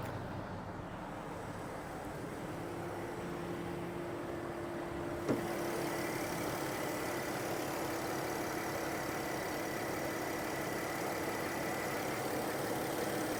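Quiet, smooth and even idle with a steady low hum and no knocks, misses or shaking; this engine sounds healthy.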